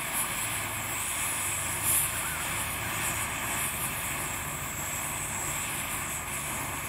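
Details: Dual-fuel camping stove burning diesel in windy conditions after a long preheat: hissing fuel vapor gives way to a steady, even roar without surging or sputtering as the flame clears. This is a normal, clean burn.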